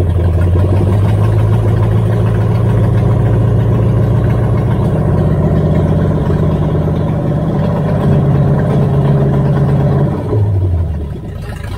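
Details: 1978 Chevy Nova V8, possibly a 305 two-barrel, sat for 25 years, open exhaust: loud idle with a slightly uneven, lumpy beat of about four pulses a second. Runs on all cylinders with a slight shake; rat-chewed distributor wiring; cause unconfirmed.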